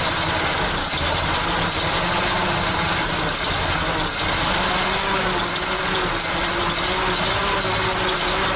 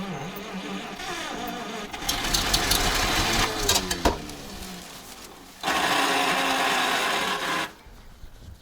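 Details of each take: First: ZIL crane truck petrol engine started after 20 years standing, fresh petrol: rough but continuous idle with a steady low throb and plenty of clatter; it caught and keeps running. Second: ZIL crane truck petrol engine after 20 years standing: uneven cranking, ragged brief firing and sharp pop back through the carburetor; owner suspects too little fuel reaching the cylinders, carburetor problem.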